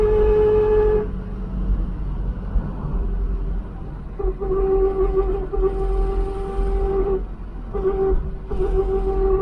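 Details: Ford Mk3 Cortina on the road after propshaft and centre bearing replacement cured the wobble: loud steady mid-pitched whine cutting in and out with throttle load changes, described as the noisiest axle ever heard; worn rear axle whine, still to be fixed.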